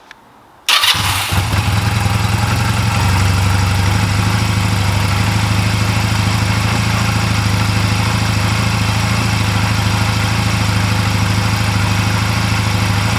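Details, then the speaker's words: 2004 Honda Rebel CMX250C twin with new NGK CR6HIX iridium plugs, after CR6HSA plugs gave a poor idle: quick start into a steady, even low putter with no misses; normal idle. "I don't understand exactly what was wrong with the cr6 HSA plugs but the bike didn't idle well with them in so the hix plugs seemed to be working just fine"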